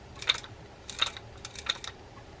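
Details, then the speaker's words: Fishing reel being diagnosed by hand: a dry ticking knock about every 0.7 seconds as the handle turns, with the reel catching and turning roughly and the line hanging; suspected operator error, not confirmed. "it's got a kind of a knock in here and it's hanging without opening this reel up"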